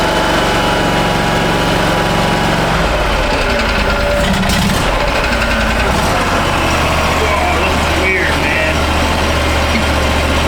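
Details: 2013 Steiner 440 air-cooled tractor at 698 hours, after a crank/no-start with no fuel delivery (earlier a bad ground), given choke and throttle: steady drone shifting pitch slightly as throttle is set, then holding even with no misses, running normally.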